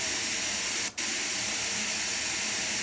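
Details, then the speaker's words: Logitech Z333 2.1 speakers, white noise test with one satellite swapped between channels: steady even hiss apart from one brief dropout; right channel slightly quieter with both speakers, so the speakers themselves seem fine and the fault lies elsewhere, not in the drivers. "therefore that leads me to believe that the issue is not with the speakers as both the speakers appear to be working fine and the results are consistent"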